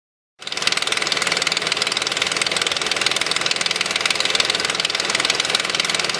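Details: 2005 Nissan Quest idling with a steady fast metallic rattle, about four beats a second, from the front of the engine; cause unknown.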